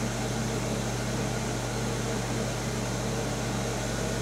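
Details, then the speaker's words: Vintage 1975 Amana Radarange RR-6W microwave, slow cook cycling magnetron between about 80 and 1500 watts: low, even hum with steady rush, very quiet magnetron barely heard starting; healthy, no arcing or rattles. "now we're not running the the magnetrons now we're down to 80 watts again very quiet magnetron you can just barely hear it start up"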